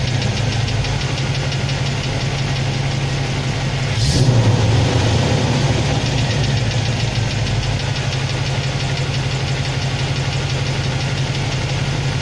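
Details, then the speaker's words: Chevrolet 350 TBI, 214,400 km, cold idle after adding ATF to the oil for suspected collapsed lifters: uneven light tick about three a second, coming and going, from the top end; occurs at cold idle and on throttle lift-off, oil pressure normal, getting quieter. "Но наверху пока я ничего не слышу. Есть, все равно стук есть. Имеется."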